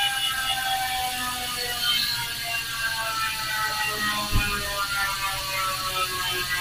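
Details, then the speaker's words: Hassns Pro 7 rear hub (six pawls, three teeth) on 700x25C wheelset, tyre inflated: fast even ratchet buzz, bright pitch with slight deeper body while coasting; healthy pawl freehub. "Okay, so ganun yung tunog niya guys kapag may goma. Matining siya pero medyo may lalim na tone."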